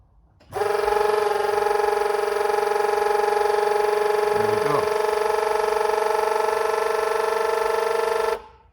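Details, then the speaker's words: Nissan 370Z rear-mount turbo build, scavenge pump wired into the car: on ignition the fuel pump primes and a time-delay relay keeps the scavenge pump running; a steady electric hum for about eight seconds stops cleanly; working. "So the fuel pump came on, went off through the ignition switch, and that stayed on for seconds after. So it's working."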